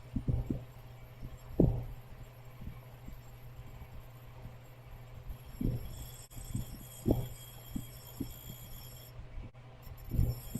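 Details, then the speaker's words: R290 cooler with Embraco compressor on a cap tube: compressor intermittently pumps and stalls, buzzing; low amp draw when not pumping, higher when pumping; issue persists after replacing all start components. Low hum, irregular dull thumps, faint buzz. "So if you listen very carefully and watch the amp draw, when we have low amp draw, the compressor is not pumping. When it goes up to higher amp draw, it starts pumping."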